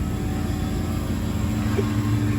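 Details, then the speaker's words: 9-year-old Hayward H-Series 350k BTU pool heater: inducer motor comes on with a steady low hum and constant mid tone, but no burner roar follows; ignition failure, heater never lights. "Let's see what goes on here when this thing fires up. Got my knee pad, even though they have the foam. Let's see. I hear the inducer just came on."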